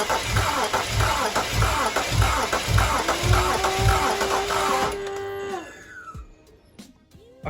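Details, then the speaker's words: Non-running BMW 335i bought cheap, jump pack connected: even starter cranking, nearly two pulses a second for about five seconds, sounding soft; never catches. Owner suspects no compression. Crank no start. "it definitely did crank um it does sound like no press no compression it's not gonna lie it sounded a little bit uh soft"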